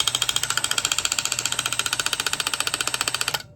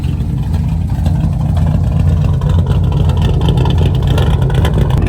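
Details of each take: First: Old distributor removed from budget small-block Chevy 350 swapped into 1985 Chevy square body, shaft spun by hand with socket: quick, even dry ticking about four clicks a second, severely not right; suspected cause of earlier engine noise, unconfirmed. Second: 1985 square body Chevy with swapped small-block 350, after a new ignition module: deep V8 rumble rising and settling through revs with no pops; the backfiring seems gone; distributor makes a lifter-like tick.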